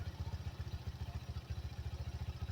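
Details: 1985 Yamaha Motor 4 after its old carburetor was swapped for a new one: low, even thumping at roughly twelve beats a second with no misses or stumbles; runs smoothly, seemingly fixed.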